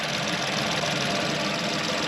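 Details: VW engine after water pump replacement, coolant refilled and being bled, warming from cold to hot with no leaks; steady, even idle with a smooth hiss and no knocks or squeals; normal idle.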